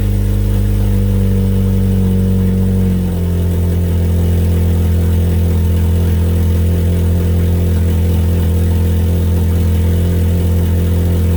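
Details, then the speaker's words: 1998 Mitsubishi Eclipse GS Spyder 2.4L SOHC before its cat-back exhaust install: loud, deep, blatty exhaust drone dropping from a rev to a heavy idle, from a muffler with a cut-out square and punched or rusted-through holes. "I'm going to get in and crank it up let you guys hear what it sounds like and it sounds pretty bad because it's actually the reason I'm replacing it"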